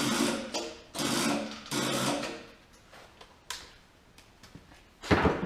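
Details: OMC Mustang 310 skid steer with freshly rebuilt engine and no spark or charging: short cranking bursts about a second long that turn over sluggishly and never catch; slow cranking. Cause suspected, not confirmed.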